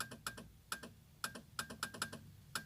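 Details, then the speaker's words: Ford Fiesta Zetec Rocam: with the right turn signal on, nothing lights on the dash or the front lamps and the relay chatters in quick irregular clicks; the left signal works; faulty turn signal switch, later fixed. "Eu ligo a seta para a direita, aí ele não acende nada no painel e fica o relé fica fazendo esse barulho, ó."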